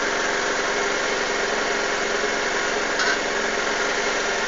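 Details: Suzuki GSX-R 600 SRAD after start-up: busy, uneven idle with a faintly lumpy beat under a steady engine buzz. Rough idle, cause not yet known.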